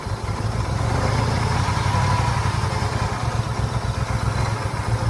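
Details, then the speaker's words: Towed-in Harley-Davidson F-150 V8 with a big cam, after all eight coil packs and spark plugs were replaced. Lumpy idle stumbling and dropping out irregularly; fuel system suspected next: rough idle with misfire. "cuz I mean we're idling now not very good sounds like crap sounds like it's skipping"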